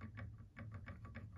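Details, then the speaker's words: Prusa MK3 bed rocked by hand: light dry ticks about three per second from a very tiny gap in the Y carriage bearings; owner suspects worn or old bearings; clicking from bed carriage play. "it's very very tiny movement it's not a very big movement but you can hear the sound that there is a gap between"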